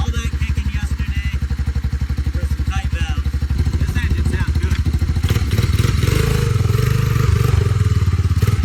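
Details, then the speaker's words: Honda Big Red 200 three-wheeler single after its tight valves were adjusted and a carburetor fitted: a steady, even thumping idle that picks up slightly toward the end, smooth-firing though a little smoky, and running pretty good. Normal idle. "Put a carburetor on there, adjusted the valves, and she runs pretty good."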